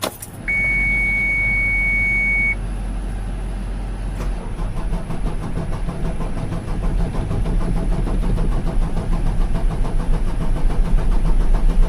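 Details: 2007 Mitsubishi Fuso Fighter FM260, 6M60 7.5L diesel, first start after replacing knocking fuel injectors: short crank, catches and settles into even diesel clatter at idle with no stray knock; sounds healthy.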